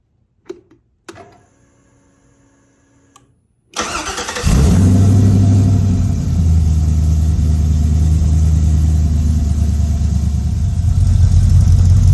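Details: 1955 Chevy truck LS V8 swap, first start after year-long build, wired with only two wires: a few starter clicks, then catches and settles into steady, even, lumpy idle with no misses or knocks; healthy.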